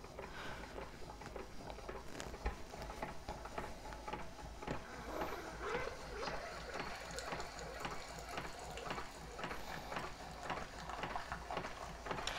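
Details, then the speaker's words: New Keurig 2.0 brewing a 6-ounce cup: a soft pump hum with gentle water trickle and faint ticks, all low and even. A normal, relatively quiet brew with a single stream. "And then all we do, just like any other Keurig machine, is press go."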